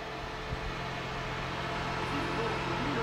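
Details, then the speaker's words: 1992 Lincoln Town Car limousine, 4.6 V8, long non-running: after changing the relay, steady low electric hum and faint whir of the electric fuel pump now running normally with ignition on. "Alors, la pompe à essence tourne plus, je vais chanter le relais en espérant que ça fasse le job. Ça tourne?"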